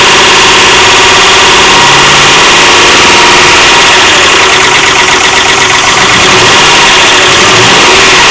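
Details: 2001 Ford F-150 with the 4.6 liter engine at steady idle: a regular light knock, about four a second, riding over the engine hum, coming from inside the engine. Engine knock, cause unknown.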